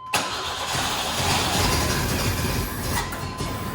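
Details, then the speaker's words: 1955 Ford F100 on a 4x4 frame, 3/4 tank shown: steady starter cranking around 200 rpm that never catches; not getting fuel, distributor ruled out since it tried to fire when fuel was added directly. "Okay, so we are not getting gas. Okay, we are definitely not getting gas, which is good. That means it's not the distributor that I thought it was, because it just tried to fire whenever we did that."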